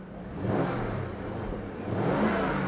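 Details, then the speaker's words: Jaguar XK8 that previously would not start, run after refuelling and a spare battery; engine revs up smoothly twice under throttle and sounds good, though it stalls again afterwards. "Can it cope with any throttle whilst it's running? Here we go."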